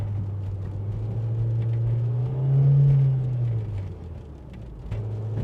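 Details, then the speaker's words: Mk4 Jetta 5-speed Tiptronic automatic, after solenoid and fluid change, road test: engine drone suddenly flares in pitch about a second without pulling as it slips out of first; second gear works when selected manually. "oh no yep still an issue it uh just immediately slipped out of first hear"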